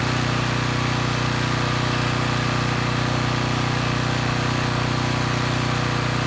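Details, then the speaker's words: Coleman Powermate Pulse 1850 generator, 1996 engine, after carburettor repair, unloaded in driveway with speed set toward 61.5–62 Hz: steady, even drone at constant speed, no misses, surges or knocks; normal running. "so so let's say the carburetor issues are sorted out the engine's running pretty well"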